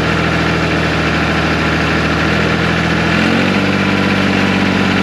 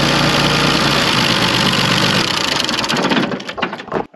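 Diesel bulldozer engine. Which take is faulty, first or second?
second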